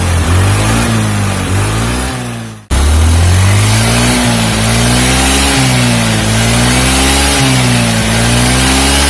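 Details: Carbureted Honda Beat scooter after replacing snapped drive belt with V-belt kit: engine revs up and down smoothly, pitch rising and falling evenly, no belt slap or squeal; engine smooth after repair.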